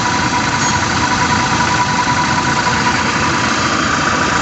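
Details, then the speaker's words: Toyota New Fortuner VRZ at idle, heard at the lower left side with AC switched off: steady rough growl with a faint constant whine from the AC compressor; mechanic is confident it is the compressor pulley clutch plate, to be confirmed on removal. "kalau saya sudah positif ya tuh kalau seperti ini tuh yang bunyi adalah piring puli kompresor AC nya"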